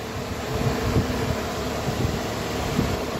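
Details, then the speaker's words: 2006 Opel Corsa C radiator coolant fan, powered directly by shorting/jumping its feed while checking relay and fuse box: steady whooshing hum, no scraping or ticking; fan motor spins freely and works normally. "that this guy is running so the fan is working"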